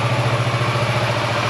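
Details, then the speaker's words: 2015 Kawasaki Versys 650 ABS parallel twin idling after replacing the stator, regulator/rectifier and battery: smooth even thrum, started first try, charging 14.3–14.4 V at idle, revs fine. Normal idle. "all right so the bike started on the first try it's putting out the correct voltage at idle it's revving fine it sounds good"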